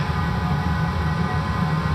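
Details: 5 kW diesel air heater installed under the kitchen of a 28 ft motorhome, running without exhaust fitted yet; steady low hum with a smooth, even blower tone, no surging or stumbling; runs properly and fairly quietly.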